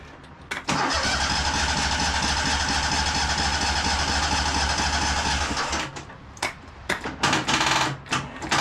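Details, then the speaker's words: High-hour Cub Cadet 2186 lawn tractor, next day, on a weak battery of barely 12 V: steady cranking about five seconds that never catches, then short stabs. Owner worries it isn't getting fuel after an odd stall; fuel pump lost prime. "and of course last time it stalled out in a funny way. I'm just worried this thing isn't getting fuel anymore."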